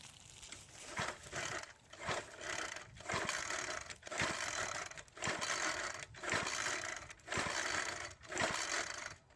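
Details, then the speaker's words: Troy-Bilt 4-cycle edger, primer bulb filling, choke on below 40°F, cold: pull-cord rips about one per second, each whirring then dying with no firing. Crank, no start. "And unfortunately, it did not start. But before we tear into the carburetor or do any other diagnostics, let's go ahead and put some gas in the throat of the carburetor and try again."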